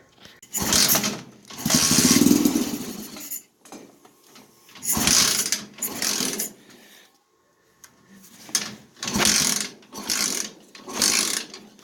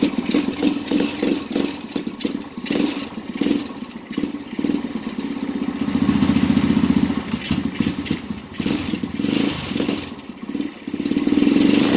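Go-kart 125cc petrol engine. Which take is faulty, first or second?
first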